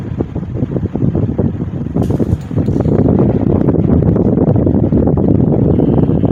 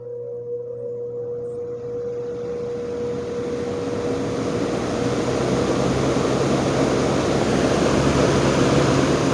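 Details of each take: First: GE motor after repair, motor halves releveled and tapped back onto the housing: fan hum with uneven, rattly worn-bearing chatter that never settles, improved from before but still present. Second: General Electric export electric motor after repair: steady low hum with a faint tone and rising airflow hiss as the fan spins up; quiet, spin-down decent.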